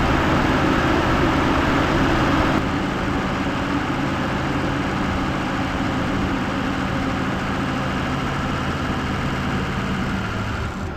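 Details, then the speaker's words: Ford 6.0 Powerstroke Excursion diesel at idle after blue wire mod with manual fan clutch switch, heard from under the hood; loud fan roar drops away as the clutch lets go, taking 30 to 45 seconds to engage or release, working normally. "Alright, so as you guys probably heard, you could clearly hear the fan kicking on and then kicking off. He said it takes a while to kick off."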